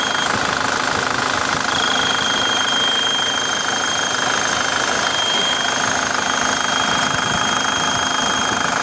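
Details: Idling engine with a thin, steady high whistle riding over it and holding its pitch throughout. Turbocharger whistle, cause not stated.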